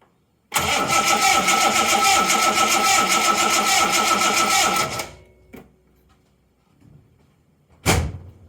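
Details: 1980 Reliant Scimitar GTE SE6A that turns over but won't start: steady fast starter churn for about four seconds with no firing; strong spark confirmed at the plug, so fuel supply is suspected next, starting with the mechanical fuel pump.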